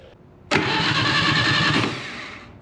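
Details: Atomic 4 ex-sailboat engine, light oil squirted into cylinders, 12-volt battery with remote start button, no coil fitted yet: strong, steady starter cranking with an even churning rhythm for about two seconds, no firing; turns over freely, normal cranking.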